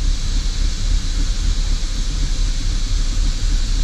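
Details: 2005 Holden VZ Commodore Crewman 3.6L with engine light, rough at idle only: loud uneven low rumble never settling; fuel trims maxed high on both banks at idle, vacuum leak suspected and smoke test planned; rough idle.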